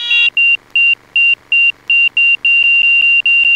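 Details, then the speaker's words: Light training aircraft in a power-off stall practice, nose held on the horizon with increasing back pressure: high shrill stall warning horn pulses about 2.5 times a second, then holds steady before the aerodynamic stall. "You're Gonna Keep adding back pressure there's the stall warning if you ever heard that you'd recovered there"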